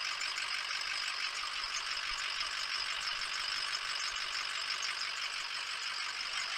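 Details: Ford 6.0 Powerstroke diesel just after startup, cold water and oil temperature, after changing the turbo oil feed tube and cleaning the EGR: even, steady idle clatter with no misses or knocks while IPR comes down and ICP is about 600. Normal idle.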